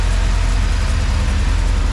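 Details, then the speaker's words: 1988 Camaro IROC V8 with Tuned Port Injection, previously stalling on throttle input; with the wire plugged in, idle is low, even and smooth with vacuum rock solid at about 16 and no misses. "all right so you hear the idle here a lot smoother and now my climbing is Rock solid at like 16"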